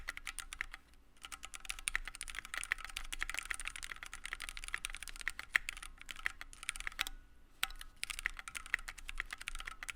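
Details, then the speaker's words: Keychron Q1 75% board with aluminum case, aluminum plate, Gateron Phantom Red switches, case foam and gasket mount: fast typing with bright clacks and a faint metallic ring, revealing case ping and hollowness. "However, I did notice that there was a lot of ping and hollowness to this keyboard, and let me demonstrate that to you with knocking on the case."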